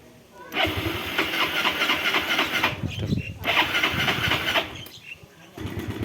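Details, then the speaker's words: 2005 Mio Sporty 5TL scooter, electric start: the starter whirs briefly, then the small single-cylinder engine catches and settles into an even, steady idle. Electric start works fine. "Kita masuk ke mesin ya sekarang, penghidupan mesin starter ya. Oke, kita starter ya."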